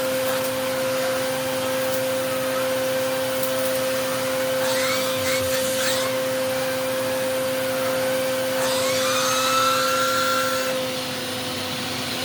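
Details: Eureka The Boss Capture bagless vacuum after repacking two brushroll bearings and replacing the broken belt, testing the power paw brush: steady high motor whine with even airflow hiss, no rattles or surging; runs normally.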